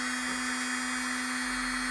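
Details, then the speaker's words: Slant-needle 500-series sewing machine motor, oil-gummed and running very slowly after long storage, now at top speed after about 12 minutes of running at full pedal; steady high-pitched, smooth whir with no stutter; motor reconditioned and healthy. "now it sounds good we're at seven minutes I put another five before that let smoke roll out so 12 minutes worst case scenario maybe 15 but you can hear it right now it's"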